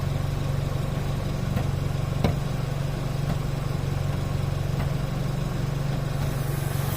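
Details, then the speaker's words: 2015 Chevrolet Cruze idling, phone placed under the car: low drone with sharp, irregular pops from the fuel tank, caused by a stuck-open canister purge valve; the tank also pops after shutdown. "Cruze 2015 fazendo estralo barulho no tanque. Já vou mostrar para vocês qual é a causa disso, tá?"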